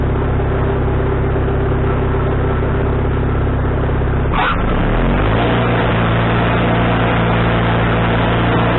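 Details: Wood-Mizer LT40HD sawmill engine with a newly replaced carburetor, mixture screw set three turns out, not sawing: steady drone with one brief speed change midway, then an even beat with no misses or surging; owner thinks tuning is right.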